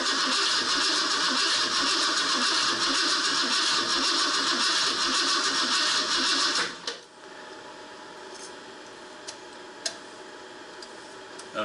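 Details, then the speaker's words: 1968 Ford Torino FE 390 with Edelbrock top-end kit, first start after rebuild: loud, lumpy, uneven idle with popping and backfiring until shutdown. Crossed plug wires are suspected for the dead cylinder. "something's not right you sure you got the fireing order right y let's see it's got a lot it's got a dead hole in it Dam it's backfiring like there's a couple of wires switched"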